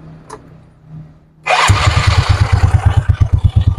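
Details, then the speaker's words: Yamaha Mio Soul scooter started on the stand after CVT slider replacement, checking whether the drive noise is gone: engine catches and revs in even pulsing bursts with no rattle or scrape; normal CVT operation. "Tapos try natin paandarin para lumapat na to at tingnan natin kung maingay pa."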